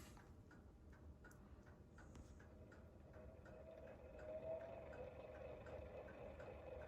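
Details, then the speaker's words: c.1925 Emerson 45641BB4 56-inch Longnose ceiling fan, lower-power motor tagged 120 V with 18–19 ohm coils, pre-restoration, on low: very faint steady hum, soft background ticks, no rattle; really quiet, low vibration. "yeah, really quiet, really low vibration, which is good for a few reasons"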